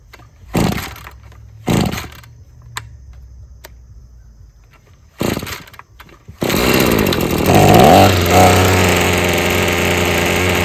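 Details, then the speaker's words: Husqvarna string trimmer after freeing a sticking trigger and adjusting the carburetor: short blips, then a steady high two-stroke buzz holding revs cleanly with the string whistling; running properly. "Should have a good idle now. All right, so you could hear how those RPMs are way up there now."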